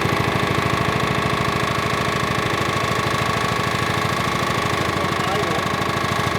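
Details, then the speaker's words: Rol-Air air nailer compressor driven by a Honda GX120 petrol engine, before full service, one connector off: engine labouring with a steady heavy knock about three a second as pressure builds; owner suspects the compressor pump. "that must be the pump making that noise"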